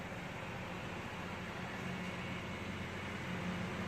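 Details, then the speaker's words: 2014 Chevy Sonic 1.8L non-turbo, 84,000 miles, warm idle after replacing the plastic valve cover with integrated PCV valve: steady even hum right around 800 rpm, no knocks or misses; check engine light cleared, normal idle. "It's usually right on 800 when shit's running right, when it's warmed up some."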